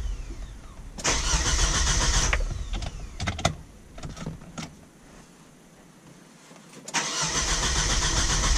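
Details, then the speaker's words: 1999 Kia Sportage after fuel pump install and ground wire reconnected: two bursts of cranking, never fires, no fuel delivered; a bad electrical connector on the pump is found. "hmm not functional apparently let's see why let's make sure this is okay and that would be why this would be why this pump is now working"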